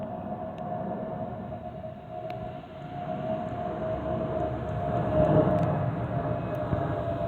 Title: Delta Airlines Airbus A320-212 N349NW DL2787 DEN-DTW (FOPP Whistling Sound)